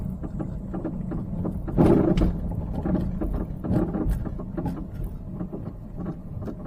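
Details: Peugeot 308 worsening front underbody noise: frequent uneven clunks under the front over small bumps on the road, unchanged when braking, so not brakes; suspension suspected, shocks seem dead.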